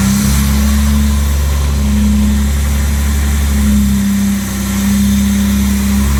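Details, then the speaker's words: Original 1962 Jaguar E-Type 3.8 with a rebuilt straight-six, after its first drive in 45 years: an even, steady low idle with no misses, stumbles or knocks, running super smooth at low rpm. Normal idle. "uh all right i'm really happy with the running condition of that engine really impressive build by the engine builder and it runs super smooth down the low rpm"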